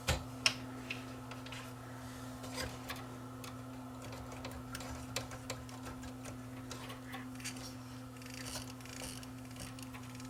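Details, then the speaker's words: Yamaha CDC 645 five-disc CD changer that wouldn't load, during repair: light plastic ticks repeat over a steady motor hum as the mechanism turns, from a visibly cracked drive gear. "i don't like the sound of that you know i really don't like the sound of that that sounds like that gear might be cracked"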